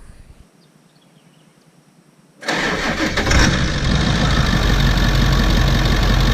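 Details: 1998 Ford E350 with a 7.3 Powerstroke diesel, after a no-start was fixed by cleaning the battery connections and fitting a new battery cable. Near silence, then it catches at once and settles into an even, steady idle clatter: normal start and idle.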